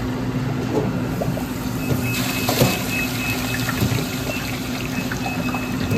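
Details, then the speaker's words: Frymaster fryer, newly replaced filter motor, rotation confirmed correct, valve open, fryer off but oil still hot: steady even motor hum with gurgling and bubbling as oil is drawn into the belly; filter pump working normally. "Watch it bring the oil up. There you go. And it's bringing the oil up into the belly. She's working."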